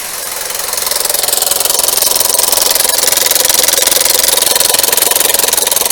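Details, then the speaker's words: Skoda Yeti 1.2 TSI turbo petrol chain engine, before repair: loud, steady, harsh metallic rattle at about 160 a minute over the engine; mechanic sure timing chain is stretched, cam-driven high-pressure fuel pump also possible. "я думаю что цепь у нас х стянуты сто процентов и скорее всего оно стучит"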